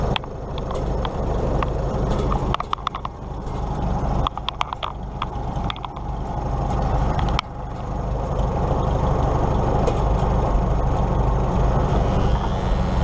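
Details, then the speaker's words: 1953 Farmall Super M tractor with loader just swapped over and plumbed in: steady low engine drone with a constant buzz while the loader is worked, plus handling clicks; the hydraulic pump buzzes under load. "well it works the only thing that concerns me is the hydraulic pump buzzes as I use that"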